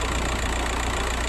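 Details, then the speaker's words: Audi A6 Avant diesel after a mini service with a new fuel filter and engine mount, feared to cut out: steady, even idle clatter with no stumbling or dips; kept running, healthy. "running. Right, so that's the Audi done. It didn't actually cut out, it just kept running."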